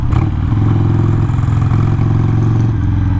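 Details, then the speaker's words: Harley-Davidson Sportster 883 carbureted V-twin on a ride, not fully warm, tuning and mechanical-advance timing not yet sorted: loping beat keeps sagging and stumbling as if running out of gas; fuel-starved stumble, owner suspects dirty jet, cause unconfirmed. "it's like it's running out of gas well I know it's not right"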